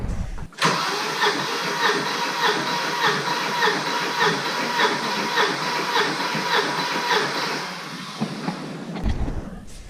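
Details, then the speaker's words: Volvo 740 with its original 425,000 km B230FT engine, compression test on cylinder three: even, steady cranking at about 100 pulses a minute with no weak stroke; compression numbers good so far. Normal cranking. "damn alright so this thing has some awesome compression numbers so far"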